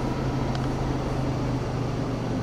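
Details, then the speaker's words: 1989 Ford F-150 4x4, 5.0 V8, 5-speed manual, 12-year-old battery, cold start with the IAC valve disconnected: a steady, even low drone, no knocks or misses, about 1000 rpm held with the throttle. Alternator charging 14.8 V. "as you can see, engine's running right around 1,000 RPM. I gotta hold my foot on the gas because if I do, it might stall because I disconnected the idle air control valve earlier, but this gives it a nice soft startup."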